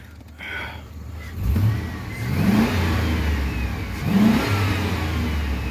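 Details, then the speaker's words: 2004 Chevrolet Silverado 2500HD, wrecked in a rollover, with oil full and no tailpipe smoke. Two quick blips rise cleanly and settle smoothly with no knock or rattle; normal revving. "It sounds like it's ready to run still."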